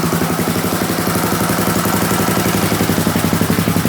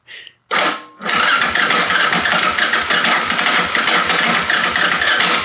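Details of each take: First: Custom-built Yamaha Raptor 660 after heavy electrical work and an aftermarket stator. The earlier choo-choo chuffing was from misaligned exhaust gaskets and is now gone. The exhaust still has its quiet core. Steady, even thumping idle at about four beats a second: normal idle. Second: Rebuilt Yamaha Raptor 660 with an aftermarket stator, first start attempt without choke: a short crank, a pause, then a long, uneven whirring crank that never catches; starter clutch slipping rather than turning the engine.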